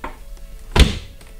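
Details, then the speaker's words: Tesla Model 3 tailgate after Kilmat 50 sound deadening: closing gives one deep, dull thud with no tinny ring, almost like a German car instead of a tin can; solid tailgate close. "if you listen when you close it sounds almost like a German car this sound is way better"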